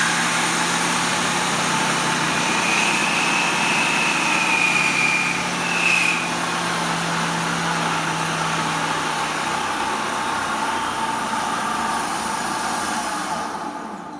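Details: 1970s Shopsmith Mark V with new internal-capacitor motor after tune-up and restoration, running on low setting: steady electric hum with light high whir, smooth and even, then spinning down; runs powerfully.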